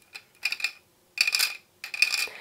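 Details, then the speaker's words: Yamaha PSR-SX900 keyboard black key rocked side to side, giving sharp dry plastic clacks; the thin plastic mount holding the black keys lets the whole key wobble, causing loud key noise. "ten klawisz cały buja się na prawo i lewo"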